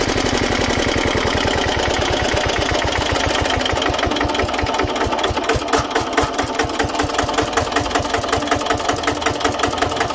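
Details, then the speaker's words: Old Japanese 10 hp single-cylinder diesel welder/110 V generator set: even, steady thumping quickening cleanly as hand throttle rises, no knocks or misses; engine runs soft and smooth, normal running. "เบาๆๆได้เลยเครื่องนิ่มมาก"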